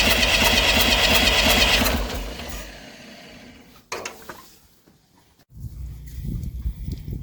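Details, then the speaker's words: Massey Ferguson 35 diesel tractor, not started in weeks, second attempt. Water leaks, fuel leak; owner suspects the injectors. Steady cranking without catching, spins down, a few weak puffs, won't fire: slow to start. "Well, let's see if she likes a little goat juice. She tried a little."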